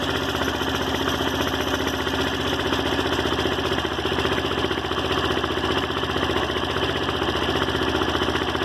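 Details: Daelim Roadwin single-cylinder idle with a busy rattly tick about three times a second on the beat; abnormal engine noise, source not pinned down.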